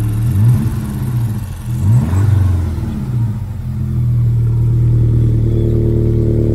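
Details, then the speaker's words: VW Scirocco after roadside breakdown, started by recovery technician: rough lumpy running through blips and shaky idle; diagnostics showed low combustion in cylinder 3, misfire from a failed ignition coil. "But it wasn't sounding healthy. The technician's diagnostic equipment did indicate that there was low combustion in cylinder 3 and the car would need to be recovered."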